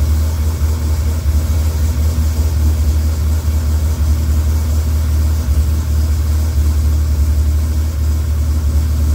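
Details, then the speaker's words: Freshly rebuilt Dodge Viper V10 on first startup after oil priming: deep, smooth idle with an even low rumble and no ticking or knocking. About 60 psi oil pressure, no leaks, radiator warming; healthy. "it lit up like a like a kitty it's got about 60 lbs of oil pressure in there yep not bad everything sounds really good"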